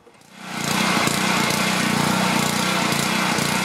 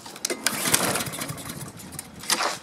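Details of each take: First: Self-propelled Husqvarna mower with Honda engine, after no-start from no spark was fixed and blade reinstalled: fires quickly and settles into a smooth, even buzz with steady pitch and no misses; runs like new. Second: Husqvarna self-propelled mower with Honda engine that owner could only start by tipping it; a few quick rattling recoil pulls that never catch or fire; no spark, the kill switch is grounding the coil.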